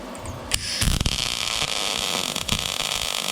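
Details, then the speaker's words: YESWELDER MIG-205DS MIG welding 1/8" plate with .030 wire and argon/CO2 mix at 78 amps, +10 inductance: steady even crackle-free arc hiss after a few starting pops, no spatter bursts; smooth MIG arc. "It's really smooth already, but I'm going to try that here, and I'm going to flip this over and go negative on the other side, see what happens."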